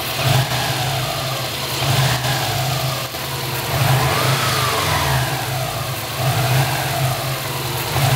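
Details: Subaru engine revved repeatedly; a light metallic rattle, seemingly from the turbo area, is heard as revs fall after each blip; cause not confirmed.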